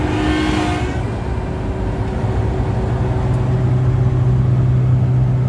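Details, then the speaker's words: Komatsu PC1250-8 excavator, fluid levels and pump pressures normal at neutral: a steady low hum builds and holds when the boom is moved (not during travel or swing), suggesting abnormal hydraulic pump noise under load; cause unconfirmed. "Wenn wir "Boom" bewegen, gibt es ein Geräusch."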